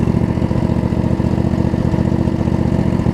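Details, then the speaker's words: Craftsman riding mower with Briggs V-twin, after blade-engage fix and valve cover reseal, blades re-engaged: low, even thump at about four beats a second, holding steady without hunting or misfires; idles down fine, owner says it just needs runtime. "I mean it idles down just fine too all right"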